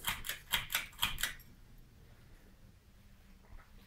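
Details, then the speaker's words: 1990s Hampton Bay Bridgeton 42-inch, three-speed ceiling fan with refinished blades, slightly off balance, on low speed: quick light clicks about twice a second for over a second, then near quiet. "It is a little bit off balance, so we'll make some sounds. As you can hear."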